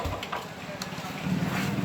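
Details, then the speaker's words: Royal Enfield Bullet 350 Electra single-cylinder idle: a fast, light ticking rides over the thump, an abnormal engine tapping noise; valve tappet noise. "तो देखिए य bullet Electra और इसमें कुछ तो problem है engine में जो अलग टाइप का एक साउंड आ रहा है"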